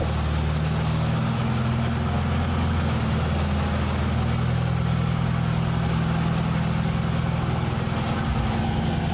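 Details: Gas International Harvester 434 four-cylinder tractor, long unrun, battery boosted, running after governor rod reconnected to carburetor: steady, even low rumble, no misses or knocks; starts and runs cleanly.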